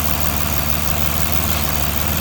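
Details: 2009 Aston Martin DB9 V12 at idle: loud, irregular, non-periodic ticking with a slight stumble and cylinder 6 misfires, gone above 900–1000 rpm; sparks arcing on the RHS inlet manifold, fixed by replacing the #6 ignition coil.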